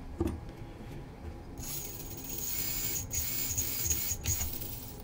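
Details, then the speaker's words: Stock plastic-gear transmission of an SCX24 mini crawler, pinion mesh reset after gear clicking under load at a comp: light throttle gives a smooth small-motor whir with a thin whine and no clicking, mesh correct with slight play. "All right, let's go ahead and give it a little throttle and see. See, it's nice and quiet sounding."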